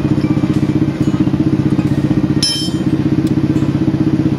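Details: Old motorcycle engine after repair for rough noise, with parts replaced including bearings and piston, kicked over first to circulate oil; steady, even idle pulse around three beats a second, no knock or rattle, smooth and healthy.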